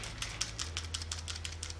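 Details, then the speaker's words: Air compressor's 165 V AC start capacitor, removed after motor turned over slower and slower: dry loose bits clatter inside when shaken; start capacitor failed internally. "I don't know if you can hear that but it's so dry inside there's actually things rattling around in there"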